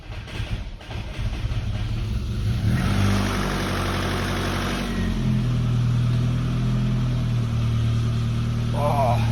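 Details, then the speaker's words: SAAB 900 Turbo after a gearbox oil change, restarted: petrol engine cranks, catches and idles with a rough, diesel-like clatter, no oil leak or blue smoke, runs well otherwise. "noch aber anscheinend habe ich jetzt zwei Diesel so wie das Ding am klackern ist"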